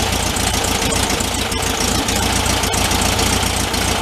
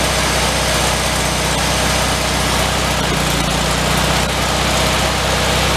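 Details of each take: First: 1974 VW Thing air-cooled flat-four, 29k miles, after idle speed and air-fuel mixture adjustment with the choke off: steady, even, smooth idle with no misses; normal idle. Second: 1974 VW Thing, 29k miles, started after sitting at least six months: loud busy idle with a quick puffing tick about four per second; suspected exhaust leak from a hole at the heater box, may need welding; exhaust ticking at idle.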